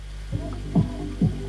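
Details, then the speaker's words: 1995 Marantz 74SD535 dual auto-reverse cassette deck on first power-up: dull, bass-heavy playback with no treble and slow throbbing thumps about twice a second; tape sounds badly muted and muffled, cause unclear. "it sounds really muted and horrible"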